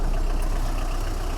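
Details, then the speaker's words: 2011 Tata Indigo diesel that had a morning starting problem and engine knocking, now repaired; steady low idle rumble with no knock, and the engine sound is back to normal. "Engine दे आवाज normal हो गई है अ अब engine नौकरी करना हट गया है"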